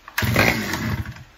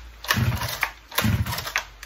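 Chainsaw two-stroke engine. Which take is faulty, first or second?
first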